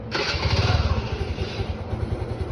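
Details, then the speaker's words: TVS Jupiter scooter started on the self-starter fires up with a sharp hiss on top that fades as it settles into a lumpy idle; owner unsure if normal, plans mechanic check. "देखो अभी एक hissing आवाज भी आ रही है एक बार यहां से चेक करो एक हिसिंग से आवाज आ रही है ना इस आवाज की मैं बात कर रहा हूं"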